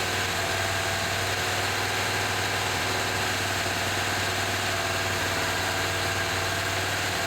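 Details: 1978 Chevy C10 V8 after adding 4–5 gallons of fresh gas: steady, even idle with a constant low hum and no knocks; runs well, though smoke is thought to be burning-off residue, a transmission leak is suspected and the oil pressure gauge didn't move.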